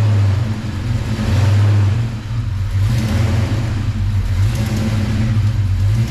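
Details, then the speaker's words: V8 warmed up after cam/lifter work, revved: deep rumble rising and falling with throttle, no tapping or ticking; valvetrain chatter fixed, though engine not yet fully adjusted. "all right guys that's it val train noise is fixed so there you go"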